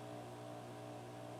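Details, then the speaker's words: Philips EL 3542A open reel tape recorder after motor servicing: steady mains hum, motor runs silently with no rubbing noises. "You can hear it humming, but the motor's silent. No more rubbing noises."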